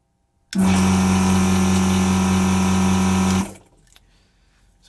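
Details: Vacuum pump on a variable-speed drive hums steadily about three seconds with no wavering or bogging, lots of suction, then cuts off cleanly; normal pump operation.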